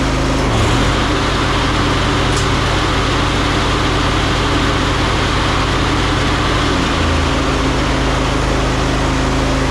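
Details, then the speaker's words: Ariens 20 hp riding mower with Briggs V-twin, after full no-start repair and carburetor work, back to 100%: steady, even engine hum with constant low drone, no knocks or stumbles; normal running. "I well there you go takes quite a bit of work to get them going sometimes back to 100%"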